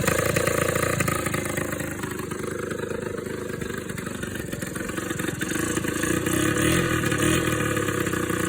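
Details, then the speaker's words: Suzuki LT80 two-stroke ATV after top-end rebuild with new cylinder and piston (previously not starting, low compression; now about 120 psi): fires and keeps running with a crisp buzzy note rising and settling with throttle, running normally before break-in. "That would have turned the fuel on, wouldn't it? That's better sounding."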